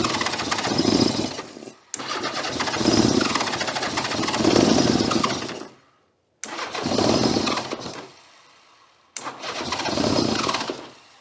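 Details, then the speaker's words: 1982 Honda GL1100 Goldwing, sat over 12 years, first start after starter repair: runs in rough bursts, dying and picking up unevenly on a couple of cylinders; gummed carburetors, throttles held partly open by hand. "When I say we can't open the throttles, I mean we cannot open the throttles. Let me give it a little assist down here. There, they're part of the way open now."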